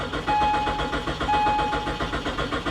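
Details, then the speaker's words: BMW 325ci with 73,000 miles and very little fuel, cranked on a booster pack; steady even cranking for about three seconds that never catches; crank-no-start, owner suspects rotten gas. "It sounds like it's trying, but I would almost be willing to bet the gas in this is rotten."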